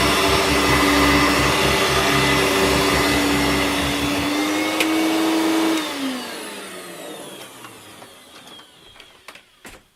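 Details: Hoover Turbomaster U5094 upright vacuum after refurbishment: smooth, steady motor whine, no rumble or grinding, then a clean quiet coast-down as pitch falls. Both motor bearings had been seized, fancase one spinning on the armature shaft; bearings now healthy.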